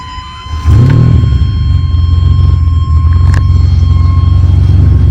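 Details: 1998 Ferrari 456 GTA naturally aspirated V12, recently out of long storage, cranks, catches and settles to a steady low idle with a thin constant buzz above it; owner says it makes a lot of buzzing sounds, source not identified.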